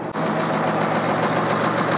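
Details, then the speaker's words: International Harvester TD20E bulldozer (13.0 L DVT800 V8 diesel, 200 HP) rescued from scrap, started without ether, good oil pressure, idle dropped down. Even, steady idle with a smooth low beat and no knocks or misses; normal idle. "let it idle minute yeah you should be able to drop that right down I think right yeah [Music] oh wait oh yeah there we go right there oh man is was perfect"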